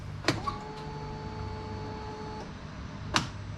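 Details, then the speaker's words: Polaris RZR 1000 after the fuel pump repair (a mushy rubber spacer had let the pump move and blow out its O-ring, giving 25 psi rail pressure vs 58 spec): steady electric whine about two seconds between clicks, stopping cleanly, pump priming normally; holds about 40 psi hours later. "probably 10 times from full off even walked away for for hours and i think i still had maybe 40 psi on the gauge so i'm pretty happy with that it's holding psi"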